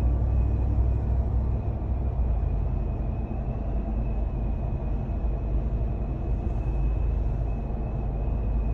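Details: 2021 Ram 1500 TRX crew cab, inside cab while cruising: steady thin whistle high above the low road rumble, holding constant; wind noise getting into the cab.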